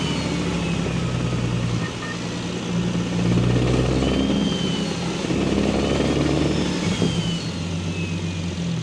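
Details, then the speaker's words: Single-turbo BMW N54 at 17.5 psi after index 12 injectors and new tune: deep uneven knock about four per second at idle after a datalog pull; metal in oil filter suggests spun rod bearing. "As you can see, that shit just started knocking out of nowhere. It sounds like a bearing, maybe a piston slap, I have no clue."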